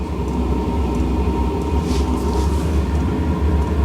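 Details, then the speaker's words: HCalory 8KW Toolbox 2S Plus portable diesel heater, fuelled full with diesel, in ignition phase: steady low roar and faint hiss with a soft, quiet pump tick as the flame lights and warms up. Normal burner operation. "Pump's just kicked in. Pump's quiet. Yeah, there's a flame. I can hear it burning. That is pretty quiet."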